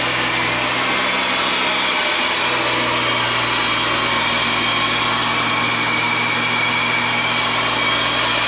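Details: JDM Efini RX-7 rotary, long stored, started after fitting a new 75D23L battery: steady buzzy idle with smooth, even drone and no stumbling; runs fine.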